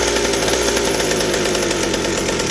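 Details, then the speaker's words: McCulloch 790 chainsaw with an MC101 kart engine, new header and pipe: a screaming, thin high-rev note at full throttle that won't four-stroke. The carburetor can't supply enough fuel at high speed, so it runs lean. "but it's not fitting enough on the high speed i can't get it to four strokes so the carburetor works but still the same issue but wow that sounds amazing"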